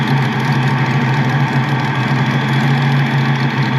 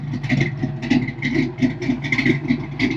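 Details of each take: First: Ford Mustang Foxbody with its original mass airflow meter setup reinstalled: a steady, even low idle that holds a constant beat with no hunting, missing or ticking, even after the idle is turned down further. Normal idle. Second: Ford Fox-body Mustang with an exhaust leak, after MAF and computer swaps: an idle with a loose rattle that swells and sags every second or so but doesn't stall, a hunting idle; owner suspects the MAF isn't calibrated to the injectors.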